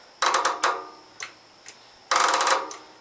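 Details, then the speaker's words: Gravely Pro 12 mower after a part was cleaned and refitted: bursts of rapid clicking with no cranking, worse than before. Starter solenoid chatter, cause not confirmed. "That's solenoid chatter. That's more than I had before."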